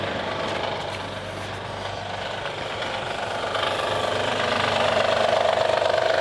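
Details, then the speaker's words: Flood-damaged Honda Accord after reassembly: fast regular metallic rattle about 3.5 per second rising with revs, persists with serpentine belt removed, ruling out power steering and alternator; cause unclear. "i don't know what it is it don't sound good"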